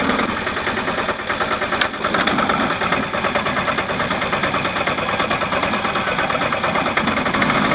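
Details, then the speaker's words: Early Westwood diesel ride-on mower, about 1985, repaired 42" deck with toothed-belt counter-rotating blades (seized bearing, shaft welded and machined, deck welded, rear adjusted): steady diesel chug with turbine-like whirring, no knocks or grinding. Normal deck belt whir. "you know sounds like a turbine but uh yeah I'm happy so far"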